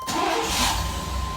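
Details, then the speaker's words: 1999 Suburban just fitted with an XS Power Limitless lithium battery delete and multiple alternators: quick crank catches at once and settles into a steady, even idle with no stumble; healthy start, no warning lights, voltage correct. "Looks to be going good. No lights on. Everything looks good."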